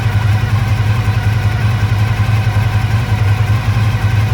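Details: 1985 Honda VF1000R after sitting three to four years with carbs not run dry, warmed up at idle: lumpy, uneven loping idle about three per second, rear right cylinder not firing; suspected blocked pilot jet from float bowl muck.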